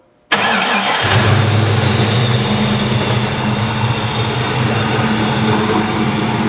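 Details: Ford 302 Windsor V8 converted to distributorless coil-near-plug ignition with Godzilla coils and a Crown Vic EEC-V ECU cranks briefly, catches at once and settles into a steady, even idle; starts and runs normally after the upgrade.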